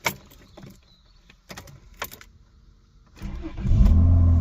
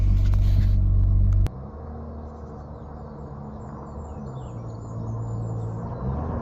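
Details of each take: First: Rover 800 Sterling Coupe with 2.5 KV6 engine, replacement engine fitted after water pump failure and new alternator: a few quiet seconds, then a short crank, catches cleanly and settles to an even idle; starts fine. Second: Rover 800 Sterling Coupe 2.5 KV6 being recommissioned: loud, deep, hollow rumble at idle with a steady throb and no muffling; exhaust leak from a rotten rear silencer, a common Rover 800 failure.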